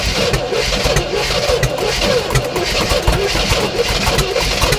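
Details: 1967 Oldsmobile Toronado after new plugs, plug wires, oil and filter, fuel poured down the carb, throttle held open: ragged uneven firing with irregular pulses, smoke from the muffler, no steady idle. Brief firing then stalling.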